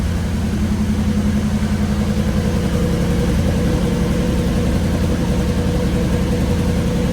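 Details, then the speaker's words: Restored 9C1 car after new exhaust clamped and lowered: deep, even exhaust rumble at settled idle, no rattles or uneven beats; much nicer, healthy engine and exhaust. "I'm going to throw some clamps on everything drop it down and see what he sounds like oh so much nicer"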